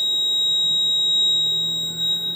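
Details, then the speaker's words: Fire alarm control panel during ground-fault troubleshooting: continuous high-pitched trouble beep after a circuit is pulled from the terminals, before the trouble is acknowledged. "now that's in trouble so I'm going to acknowledge the trouble"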